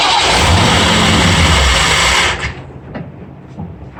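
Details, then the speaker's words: Ford F-100 351W V8, first start on a replacement carburetor with the idle screw set very low: roars raggedly, then cuts out and stalls; owner suspects a big air leak or idle set too low; cause not confirmed. "oh sure sounded like a big air leak in it somewhere uh everything on the carburetor was plugged off could be that uh i just don't have the the idle set high enough"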